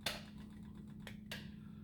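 Three sharp relay clicks over a low steady hum, the card reader switching in as it should.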